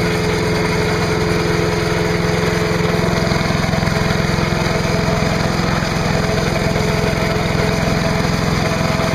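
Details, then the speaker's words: Trash-picked MTD chipper/shredder, 5 hp Briggs & Stratton, after new spark plug, new air cleaner, oil change and clean gas: steady even chug at constant speed, no misses or knocks; running healthy. "yeah so there you have it free chipper with a 5 horsepower Briggs and Straton engine trash picked it from my neighbor across the street nothing really wrong with it wasn't a hard troubleshooting was it"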